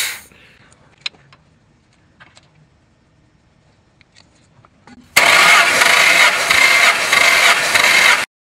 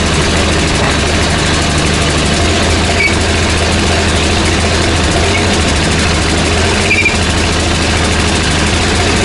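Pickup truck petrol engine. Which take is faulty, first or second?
second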